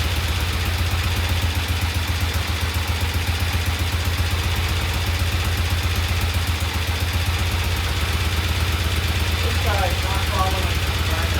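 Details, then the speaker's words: Vintage Norton twin motorcycle idling after oil was added to the primary chaincase; steady, even low idle with the earlier clacking gone; sounds healthy. "Let's put some oil in the primary and see if the noise goes away. That sounds so good. Get rid of that clacking noise."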